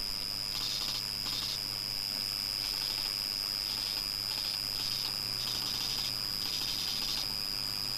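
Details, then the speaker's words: Old Acer PC that powers on but does not boot, 320 GB hard drive; steady high-pitched whine with irregular raspy croaking bursts about every half second, abnormal hard drive croaking noise, cause unknown. "what is that what the hard drive works and that's a strange thing now i'm gonna shut us down and check this out and just investigate this because it's very very odd"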